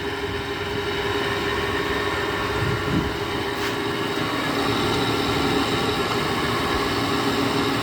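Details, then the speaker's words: 2009 GE air conditioner, first start in a year: loud, steady drone with a constant mid-pitched hum and no speed change from an unusually noisy, very stiff Broad Ocean fan motor; owner suspects the bearings need breaking in. "that's what they get for using a cheesy broad ocean fan motor that right there is not condensate that's just wd-40 i spray a lot of it in the fan motor kenny it's so loud you can't even hear a little hazel beeper on it"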